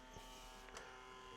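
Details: Sony CMT-MD1 micro system bought untested; thin steady electric whirr with nothing engaging behind it, loading motor suspected to spin free with its belt missing, not yet confirmed.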